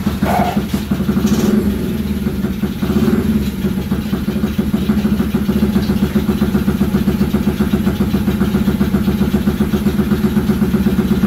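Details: Kids' 50cc mini chopper, sun-bleached; small single thumps at a fast, slightly uneven idle with a faint wobble in the beat. Carburetor suspected filthy and bypassed; it still needs cleaning.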